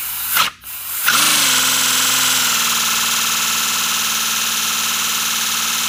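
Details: First-build 3D-printed PLA V12 model engine on compressed air, freshly lubricated, no exhaust port yet: short stutter, then catches and settles into a fast even chuffing hiss at steady speed; running freely.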